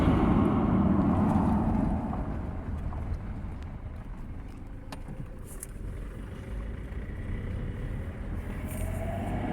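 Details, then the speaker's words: 2007 Toyota Hilux 2KD diesel driving after fix: smooth even drone, no whistle around 2000 rpm, responds better; normal running. "como podemos apreciar el ruido que estaba filmando se ha ido por completo y la camioneta se siente que responde mucho más"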